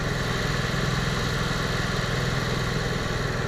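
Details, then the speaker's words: Onan 5500 motorhome generator after carburetor cleaning and Seafoam treatment, previously idling rough, dying and backfiring; restarted after five-minute soak, steady even beat with no hunting or stumbling: normal idle, much improved though not fully fixed. "It seems to be running nice and smooth now."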